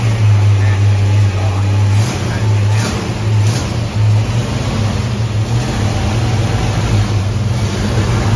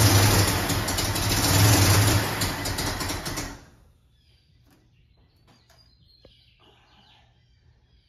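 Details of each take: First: Ford Mustang carbureted V8, idle turned up slightly; the cause found was an air leak from the wrong gasket under the 1-inch carb spacer: deep, steady burble with an even low rumble and no stumble or hiss, a healthy running engine. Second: Carbureted Ford Mustang at first start, drawing air under a 1-inch carb spacer fitted with the wrong gasket; crew suspecting jets too small: ragged, uneven running that fades and dies after a few seconds; rough running from a vacuum leak.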